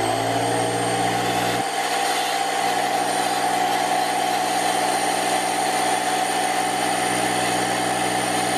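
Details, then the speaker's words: Parkside PKZ 180 C5 piston air compressor (Lidl, 8 bar, 1100W): loud, steady rapid chatter with high pump whine at even speed; normal but noisy running, pressure initially not holding. "quite noisy and i will just check do we have some pressure and not so many and actually the whole pressure vanished"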